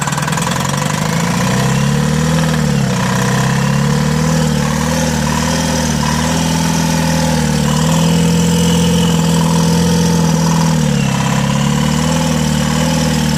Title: turbo failure in 2 cylinder #tata mega xl #turbo #automobilefailure #dicore